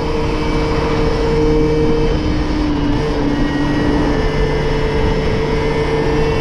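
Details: Moped/scooter (MBK) two-stroke after carburetor leaned out to suit its air filter, top speed up from 30 to 70 km/h; drones and pulls smoothly under load, pitch shifting gently with speed, no stumbling, running clean.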